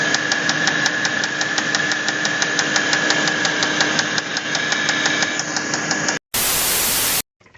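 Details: Audi A8 D3 engine with a sharp metallic knock about three times a second while running; connecting rod knock, with the connecting rod named as the cause.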